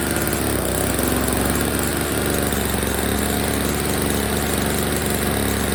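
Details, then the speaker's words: Old Snapper two-stroke snow blower, first start after storage with fresh oil-gas mix, before repair; busy, buzzy note holding steady speed without stumbling or surging, running pretty good except it's dumping gas: normal running. "Alright, it's running pretty good, except for this problem."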